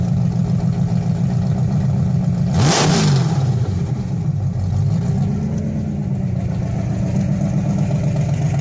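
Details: 1968 Dodge Hemi Charger V8: deep lumpy idle swells into a quick rev and falls back to an even burble; healthy engine.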